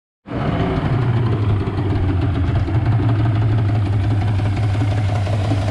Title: yamaha 150 hp outboard two stroke idle problem, موتور قایق یاماها ۱۵۰